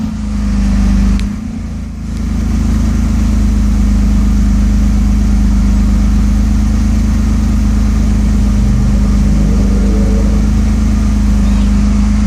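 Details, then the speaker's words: A 1992 Mercedes S600 V12 (early production) with repaired throttle bodies has limp mode deliberately induced. The exhaust drone turns deeper and slightly uneven, the engine runs rougher and struggles to rev when accelerating. Limp mode exhaust tone. "I'll let you listen to the exhaust tone there is a different tone of the exhaust out of the exhaust when the limp mode is is"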